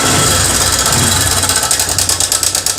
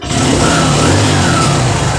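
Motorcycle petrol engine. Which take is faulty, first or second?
first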